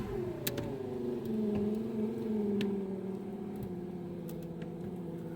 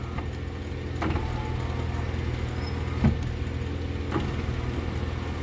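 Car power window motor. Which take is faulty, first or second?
first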